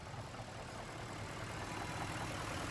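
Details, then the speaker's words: Range Rover right after water pump and coolant reservoir replacement, fan off, purging air: steady even idle with low rumble and faint light chatter, owner attributes to old oil in timing chain; far quieter than before; normal idle. "listen to how quiet that is i don't know if you guys remember when we first had it running it sounded like a chainsaw"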